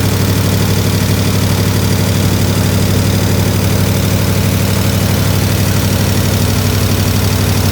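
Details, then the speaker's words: 1967 IH Loadstar 1600 shop truck V8 during overhaul: even, steady low rumble at idle, no stumble, surge or hiss, running a lot better, slight tapping noted, possibly exhaust; normal idle needing fine tuning. "a little better. Found a lot better. A little tapping going on."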